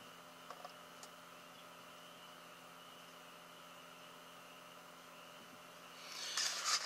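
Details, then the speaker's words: Koolatron P27 12V cooler fan after repair, cover repositioned so it no longer touches the fan: soft, steady low hum with no rubbing or scraping; fan spins freely at its normal quiet level. "and that will quiet it down so it won't make any noise I hope you can hear it that's about how loud it's supposed to"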